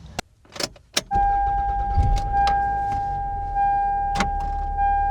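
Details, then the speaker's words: 2001 Toyota Camry 4-cylinder after coolant hose replacement and high-idle fix (idle had been 2500 rpm; throttle body gasket refitted): a few clicks, then the engine starts and settles to a steady idle with a thin constant whistle from a small remaining intake air leak at a hose. "Much much much better. put it always. I still got a little bit of a air leak here."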